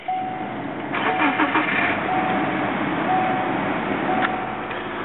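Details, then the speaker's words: 2000 Subaru Forester just after an engine swap, not yet broken in, idling in a garage on a cold day. Fresh start settles into an even, steady idle with no knock or tapping. The previous knock is gone and the engine sounds healthy. "Okay, so I just finished my engine swap in this 2000 Subaru Forester that I'm selling, and it went great, and the car runs awesome. So let's run it real quick."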